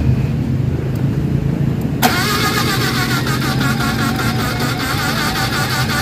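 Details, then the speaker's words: Mitsubishi Adventure gasoline 4G63, spark restored after IC, distributor and ICM conversion but still not starting: steady rhythmic starter churn, never fires; low compression from a leaking head gasket. "So panalo na. Ang problema na lang ayaw pa rin mag-start."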